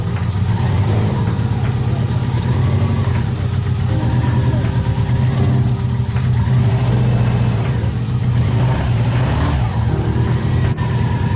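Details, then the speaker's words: 2003 Subaru Impreza WRX drivetrain in 2005 Peugeot 206 rally build, thermostat removed, first drive before tuning: loud heavy low rumble with uneven lumpy beat like a missing cylinder; engine misfire, running poorly, cause unconfirmed. "it was awesome to see the car driving for the first time well technically third time even if the engine is running poorly"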